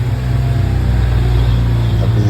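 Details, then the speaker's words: Daihatsu Sigra idling at about 300 rpm instead of the normal ~600, with strong engine vibration; coils, plugs and ignition checked OK. Slow, deep, uneven thrum with a stumble. Low idle speed with rough running. "Jadi katanya itu lamsamnya rendah sekali, dan kalian dengar sendiri suaranya yang berebet begitu guys."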